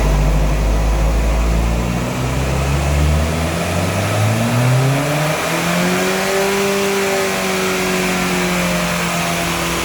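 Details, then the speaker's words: Honda Jazz, 128,000 miles, full-load dyno run: revs flare sharply without matching road speed, then settle as drive bites again; clutch slipping, owner reports it sometimes revs up by itself. "No, it's not that. The dyno is actually fine. That was clutch slip. Clutch is slipping, but then started biting again."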